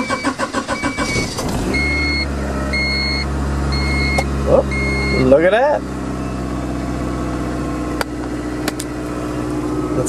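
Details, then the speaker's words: 1992 Honda Accord LX sedan that ran rough, just after an EGR valve replacement: brief cranking, quick catch into an even idle and one clean rev; smooth running with no misses. "stage started so far so good pretty good pretty good"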